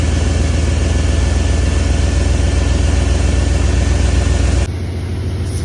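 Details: 1994 Chevy Silverado C1500 5.7L 350 V8 after replacing fuel filter, lines and faulty sensors, distributor set to zero, starting up: low steady rumble settling to an even idle with no misses or knocks; running healthy.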